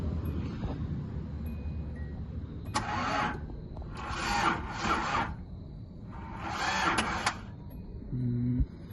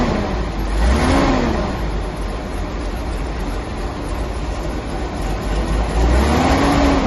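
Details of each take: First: 1983 Datsun 280ZX that sat 18 years, spark plug pulled to check: steady cranking bursts, engine turning evenly but never catching; no spark seen at the plug. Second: 1983 Datsun 280ZX that sat 18 years, now on twin SU carbs, driving on the road: engine pulls smoothly, note rising and falling evenly with throttle, no misfire, stumble or knock; running fine.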